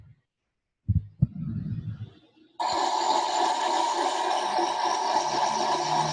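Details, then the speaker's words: 2007 Subaru Impreza right rear wheel bearing, recorded running on hoist: after a few knocks, steady rough grinding roar while the wheel spins; worn wheel bearing growl. "That was a recording of the noise from the rear wheel bearing in the vehicle while we were running it up on the hoist. That's a right rear wheel bearing. That gives you an indication of what a noisy wheel bearing sounds like."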